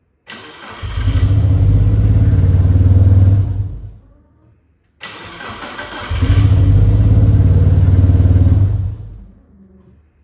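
Two separate tries, each a few seconds of deep, uneven running that dies away to silence; hard starting and cutting out.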